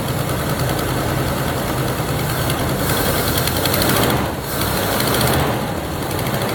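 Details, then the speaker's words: 1977 Chevy Camaro base model, 305 V8, parked almost 20 years, first start on starting fluid and gas poured in to fill the float bowl: it catches, idles roughly a few seconds, then sags and dies. Cause unclear. "you it's idling oh it died"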